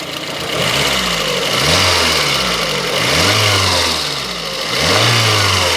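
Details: Lada Kalina engine after repair with ring replacement and crankshaft regrind: revs rise and fall smoothly with no knocking or tapping; engine knock gone.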